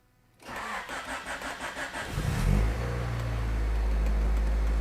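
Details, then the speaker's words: 1989 Honda Prelude after fixing a wiggling cam gear, started without cooling fans: short crank, clean start, steady even idle with slight ticking considered normal, no misfire or knock; sounds healthy. "Everyone that says that ticking is normal, do you hear it ticking? A little bit. That's within the realm of what I'd consider normal, though. Oh, it sounds great."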